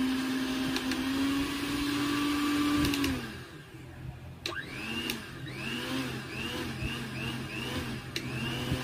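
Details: Mixer grinder repaired from dead fault and reassembled: steady mid-pitched motor hum, smooth and even for about three seconds before winding down; motor runs healthy after repair.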